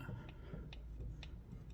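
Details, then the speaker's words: Chevrolet Tracker front-end noise while driving; sway bar end links solid. Under pry bar, sharp dry clicks about twice a second over a low rumble as the axle is levered; worn CV axle joint with play. "so we got CB axle issue okay dang wow"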